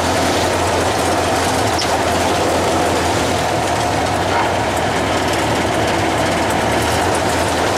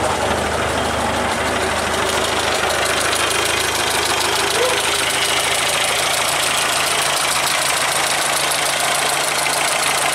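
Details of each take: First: Traditional hot rod "Doris", first start after manifolds and radiator were refitted and water and oil added: a busy, steady run holding one speed with no stumble or heavy knock; the engine fires evenly. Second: Traditional hot rod's old engine, progressively damaged and barely run for ages, run one last time before removal and replacement; loud, uneven idle with busy rattle and ragged knocking throughout; burnt valve.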